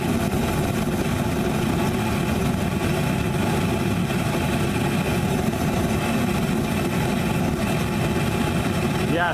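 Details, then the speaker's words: Homemade Frosty T burner with a big bell, regulator wide open at full pressure, air intake partly restricted: a deep, even roar with no pulsing or sputter throughout. The burner is stable and very hot from 2–3 ft away. "I mean I'm 2 3 ft away and I'm feeling that's hot stable you can hear it stable W stable"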